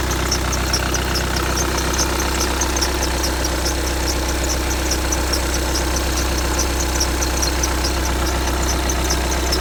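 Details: 2015 VW Tiguan 2.0 TDI 150 BMT, 34,000 miles, cold engine at idle: sharp high chirp repeating two or three times a second, lasting a minute or two then going quiet; cold-start squeak, source undetermined.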